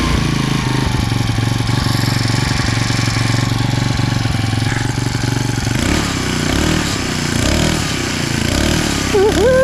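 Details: Abandoned small single-cylinder machine, just fueled and started after work, catches and runs with a fast rough putter, revving up and down unevenly.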